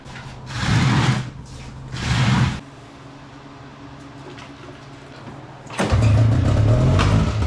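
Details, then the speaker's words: Old snowmachine engine run only on mixed fuel poured straight into the engine: two short revving bursts that fade, then near quiet and another rev; runs good but won't idle or start, suspected clogged fuel filter or carburetor. "it'll run it'll run good but it just won't start when we pour gas straight in the engine it runs great but it won't idle and we can't start it"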